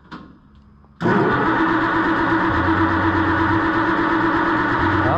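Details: Oliver 1650 tractor after a new modern distributor with electronic ignition was installed: starter spins the engine with an even churning rhythm about three beats a second but never catches; no spark, coil suspected, later found to be the wrong ignition coil.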